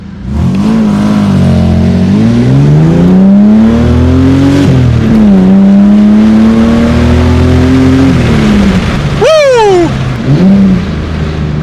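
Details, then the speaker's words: 1995 Ford EF XR6 after chip and bigger injectors: strong engine note climbing cleanly through the revs, easing off and pulling again between shifts; now running fine after earlier over-rich running, sounds punchy and healthy. "so the temp cage actually works now it seems to be running okay now thank God for that that's punchy"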